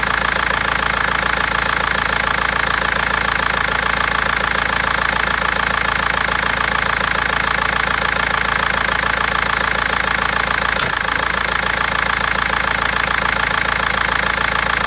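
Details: BMW 320d diesel at idle: hard regular clacking knock about three a second with uneven stumbling misfire; injectors or tappet suspected, garage unable to find cause for over a month.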